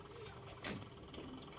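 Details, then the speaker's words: Godrej semi-automatic washing machine after replacing the faulty gearbox that caused loud noise: low steady motor hum with soft water swishes, running quietly with no grinding or knocking. "आप आवाज सुनकर ही जाएं क्योंकि हम last में आपको आवाज इसकी सुनाएंगे जो कि हमारी वाशिंग मशीन बिल्कुल सही हो चुकी है।"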